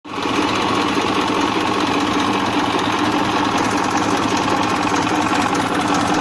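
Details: 1994 Massey Ferguson 1035 DI tractor diesel: steady clatter at even speed with constant hum and no knocks; engine running normally.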